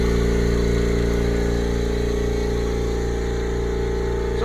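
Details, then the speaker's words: Brand-new upright air compressor, first switch-on, building pressure: constant low, even motor hum with no knocking or rattling. It runs quietly and healthily, quieter than the old compressor. "Starting to build up some pressure. I believe they're right, it is pretty quiet."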